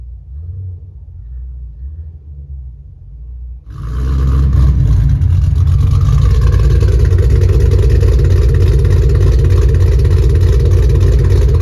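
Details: Ford Mustang GT 4.6 3-valve V8 with new engine, clutch, flywheel and headers, heard from a distance as it pulls away on a drive: a deep, strong, even V8 rumble. Healthy exhaust note.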